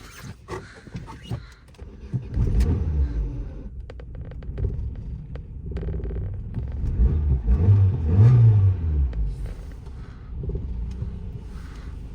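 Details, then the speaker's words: 2009 Opel Astra G sedan, swapped X16-series 1.6 petrol engine, no-start after battery drain, just after ECU programming: starts but idle rumble swells and sags unevenly instead of holding steady; unstable idle, cause not yet clear. "завелася працює холості оберти щось не подобаються їй"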